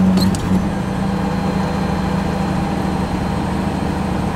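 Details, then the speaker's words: Cold old straight-six engine idling a bit higher than expected, set high because lower it cuts out when cold: steady, even idle with no misses; lifter noise noted between 700 and 1200 rpm; normal cold idle. "it just cuts out because it's in motor's cold and this thing's kind of cold natured that's kind of idling a little higher than it was I thought it was at, 1500"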